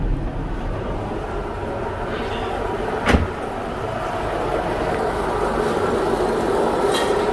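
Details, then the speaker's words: 2000 Nissan Maxima after driver-side CV axle replacement, running in drive with wheels spinning; steady coarse rumbling growl, bearings clearly need replacing: worn wheel bearing noise. "We got it running. You can definitely hear the bearings. The bearings definitely need to be replaced in this."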